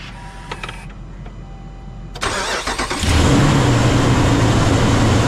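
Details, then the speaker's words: Ram 2500 6.4L Hemi, new viscous fan clutch just installed, cold start: starter cranks, engine fires, loud steady fan roar over idle. Fan roar on cold start. "Okay, so when I fired up the truck, the fan continued to roar when I started it."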